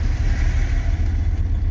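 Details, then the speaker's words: Vehicle cruising on mud-terrain tyres after purchase in Lviv: steady low drone from the road with no knocks or grinding; normal mud-terrain tyre road hum. "Сказав так так так їде гуде резина гу резина гуде так що Юрец молодець"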